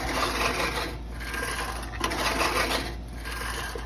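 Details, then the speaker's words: Reel lawnmower after adjusting the blade gap to about a sheet of paper's thickness: an even, crisp rasping whir that swells with each push, with no scraping or clatter. Now cutting properly. "Okay, now you hear that beautiful sound of the lawnmower, and you also see it's working."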